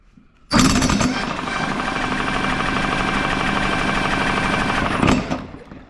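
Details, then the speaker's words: Lawn mower with a suspected failing ignition coil (intermittent internal short suspected): a rapid, rough rattling burst of about four seconds that never runs. Fuel can be smelled and compression is present; the mower cranks but fails to start. "so I'm going to replace the coil anyway because I think there's an intermittent short inside the coil but anyway I can smell Fuel and I know it's got compression so it should run"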